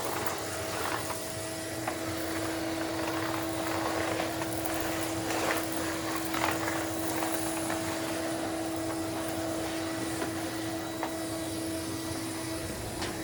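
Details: Numatic Henry HVR200 vacuum, after clearing a blocked silver pipe: even motor roar with a clean steady hum, no choking, whistling or pitch rise; air flowing freely through the hose.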